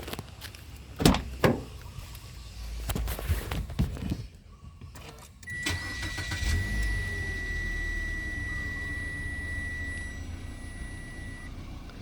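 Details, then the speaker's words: 2024 Mitsubishi Xpander after cleaning the air filter element (previously slightly delayed rpm); engine cranks, catches and settles into a steady, even idle with faint high whistle, running a bit finer, no stumble or miss; normal idle. "Medyo pumino ng kaunti ang andar niya."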